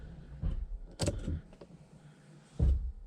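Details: 1985 Porsche 928S project car, electrical check with the key on: short low whirring bursts with clunks as the pop-up headlights raise and lower; the headlight motors work, though the lights don't come on as expected.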